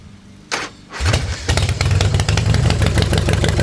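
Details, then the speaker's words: 1990 Harley Fatboy with newly installed S&S Super E carb, idle screw turned a quarter turn up before riding and warm-up: cranks, catches, then fast lumpy V-twin beat about two pulses a second. Idle set too high. "Yeah. So that's definitely gonna idle high now."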